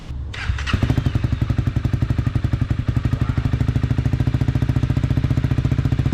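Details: 2012 Honda CBR250R with new fuel pump and freshly installed Akrapovic slip-on exhaust: catches after short crank, settles to steady deep even beat, no misses or rattles, way quieter than straight pipe; normal idle.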